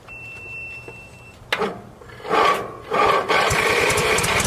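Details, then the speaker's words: Small engine with a battery dead for months, started on a compact portable jump starter: a short crank catches and settles into a steady even run with no misfire; normal start and run. "this is the best alternate for me and it's working great"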